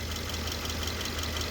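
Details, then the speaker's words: 2013 Subaru Crosstrek idling right after an oil change; a smooth, even idle hum with a steady low note and no engine rattle or pulley bearing noise, so the engine sounds healthy for its age. "No engine rattle. No bearing noise on the pulleys."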